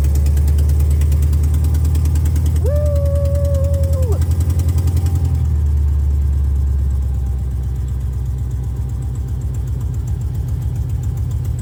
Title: First test drive around the block! #buford did great! Need to fix some exhaust leaks though.